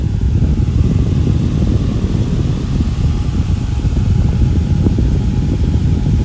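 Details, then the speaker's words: Fan with Lakewood blade set, run at full power; not oiled after reassembly. Steady low whoosh with a faint even hum, no squeal or ticking; normal running, motor and bearings fine for now. "so it seems to be doing okay for now I mean people start squealing then yeah I gotta put it apart and give it oil but it seems to be okay for now"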